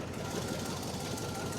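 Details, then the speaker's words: Neglected 6.0L LQ4 V8 in van just after start-up: heavy rapid knocking keeping pace with idle, engine very noisy, resting oil pressure possibly about 20 PSI and tapering into the red; engine knock with low oil pressure. "It's noisy as well. The engine is making a whole lot of noise."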